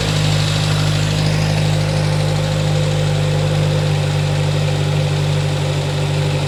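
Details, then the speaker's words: 1960 Triumph TR3 twin-carb engine first running after a crank-no-start: fast, steady idle with a slightly uneven pulse, idle speed too high and carbs a hair out of balance; a stuck float needle and seat is suspected. "So once I got it running here, the idle speed was way high on it. Cars were just a hair out of balance."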